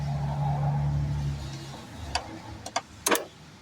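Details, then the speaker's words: Engine in a project vehicle with no fuel line hooked up, cranked on a weak battery: the starter turns it over slowly and heavily, then fades to clicks and it won't start. It later started off a truck battery. "It won't start, so I ain't got no gas hooked up, but you can hear it crank over. Kind of dead battery,"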